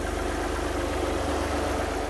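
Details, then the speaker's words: Alfa Romeo GTV V6 after cam belt change; slightly ticky on startup, then after about two minutes smooth even idle, steady low hum, no ticking or knocking, timing correct; normal idle. "we eventually got going anyway a little bit Ticky on Startup but after about two minutes it's quiet and right down"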